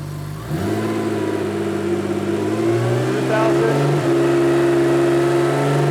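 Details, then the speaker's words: 1987 Porsche 911 Carrera 3.2 engine on test stand after sensor gap check (0.8 mm): clean rev climbing smoothly to a steady higher hold, throaty exhaust, no misses or knocks; O2 sensor switching normally between rich and lean. "that sounds great this is the O2 sensor and it's showing its tracking between rich and lean"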